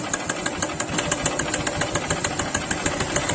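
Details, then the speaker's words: Honda CB Shine single-cylinder motorcycle, engine work done earlier, bike had fallen: light sharp tick about three times a second at idle. Noise likely predates the fall; source not yet pinned down. "तो जब idol के निशान है उसी time आवाज आ रहा है"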